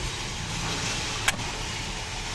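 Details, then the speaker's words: Car electric door lock after fixing its machine-gun-like rattle by shimming rail play with thin aerosol-can metal: single short, clean actuator click over steady hiss, no rattle. Noise gone. "era o barulho acabou o barulho acabou seu problema valeu"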